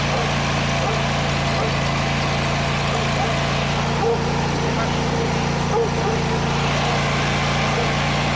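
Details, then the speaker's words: John Deere GT245 mower single-cylinder previously running rich and misfiring, after clogged air cleaner replaced: settles into steady, even run with no misfire or stumble; fixed by new air filter. "Well, I feel dumb now. That was it. My first thought was air cleaner, and that's actually what it was."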